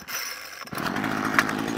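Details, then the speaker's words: Ryobi two-stroke strimmer previously worked on by someone else, hard to start, started after eight primer pumps on choke, now at half choke: catches then sputters and bogs when throttled; suspected carburetor fuel starvation. "it starts up second to hit the gas though foggy and that's all half choke to turn that off choke is all the way up oh that's what we're getting so it's not a very well puppy"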